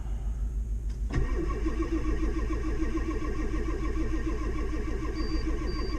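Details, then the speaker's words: Diesel truck on a gin pole truck build, cranked in the cold: slow, uneven starter churn at roughly three turns a second that never catches; not firing, though it later starts and high-idles. "It's not even trying to fire, is it?"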